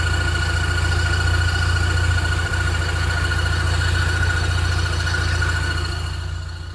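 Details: Car at idle with a steady, high, constant-pitch whistle from the gearbox-engine joint; pressing the clutch changes nothing, and raising revs almost silences it. Cause unidentified.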